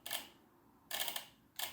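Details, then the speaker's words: Chevy 350 5.7L engine on standalone harness with old GM fuse block, after fixing forgotten relay ground: three sharp crisp clicks as key switched on; relays pulling in normally, none with key off. "You can hear the relays clicking on. Turn the key off. No relays."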